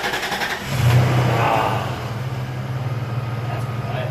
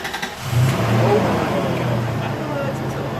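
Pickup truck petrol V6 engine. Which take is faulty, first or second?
second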